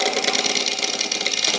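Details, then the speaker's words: Steve-free: bowl blank on a Hurricane Faceplate Series 2, cut with Hurricane carbide scraper tools. Rapid, scratchy chatter with a hissy edge at each turn as the tool bites straight into end grain, causing heavy tear-out. "that's right into engrain you can hear it I can feel it and we have all kinds of tear out here"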